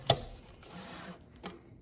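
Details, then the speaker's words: Sailrite Leatherwork sewing machine after needle bar height adjustment, sewing vinyl forward and backward over thick seams: soft, spaced clicks from the hook as the needle cycles, indicating it is stitching properly. "And as long as I hear that clicking thing, I'm happy."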